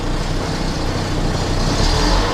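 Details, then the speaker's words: Volvo 480 running at low revs after fuel system and CEM work: a coarse, buzzy rattle rides over the engine rumble, traced to the exhaust knocking against the underbody. "oh I know what the noise and the rattle is it's the exhaust"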